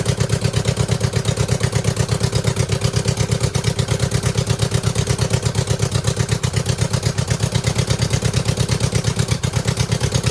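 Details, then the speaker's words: 2009 Subaru Forester X NA EJ253, remanufactured OEM heads, third start after engine install with hoses fixed: uneven idle stumbling about three times a second; one cylinder missing, not smoking; owner suspects cylinder 2 misfire from cracked head or water in block. "I mean, we definitely still have a miss, but it's not smoking."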